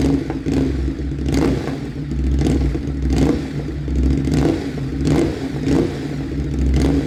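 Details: Motorcycle just fitted with an SC-Project CRT exhaust, joints sprayed with water for a leak check: deep, even burble with throttle blips about once a second, no ticking or puffing at the joints; runs healthy.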